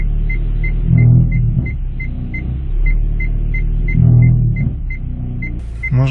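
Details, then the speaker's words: 2015 Hyundai Solaris, 1.6 L 123 hp, 6-speed automatic, 65,000 km, brakes held in reverse while throttling: low drone with crackling, scraping bursts. The powertrain mount was touching the bent crankcase guard; fixed by bending the guard away. "вот в моём случае при включении задней передачи эта опора упиралась в касалась её и издавала вот такой неприятный звук"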